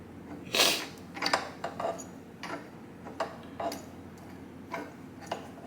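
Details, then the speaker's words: 1989 Kawasaki KX80 engine rebuild: irregular light ticks and scrapes about one to two a second turning crank by hand; owner suspects the rod is hitting the inside — unconfirmed. "Yeah, so I put some case bolts in, and now the crank doesn't hardly move. If you look here, this side has almost no gap. I think that's rubbing."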